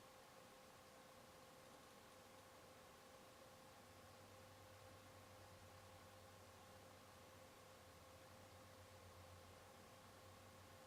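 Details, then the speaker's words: PS4 console fan recorded with a Canon EOS 60D's onboard camera microphone: very quiet steady whir with faint thin tone under the hiss, no ticking or rubbing; healthy fan. "i was playing a disc game the fan was running i quit out to the menu and started up netflix and within like under 10 seconds the fan immediately started to slow down and go down to pretty much about nothing because it's just running netflix"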